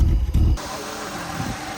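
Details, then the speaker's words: Ford Taurus revived after 7 years sitting, with new spark plugs in, heard at the muffler: a brief loud blip, then a low, even exhaust hum with no stuttering, shaking or the earlier miss; idles smoothly. "Listen to it, Josh. I don't hear any stuttering. >> I don't hear no air. >> I don't either."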